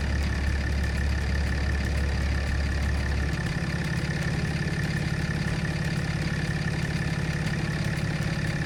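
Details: Dodge Ram 2500 6.7 Cummins diesel (EGR deleted) after water pump replacement and coolant change, started to warm to operating temperature: steady, even diesel clatter settling into a smooth idle after a small speed drop; healthy, normal idle.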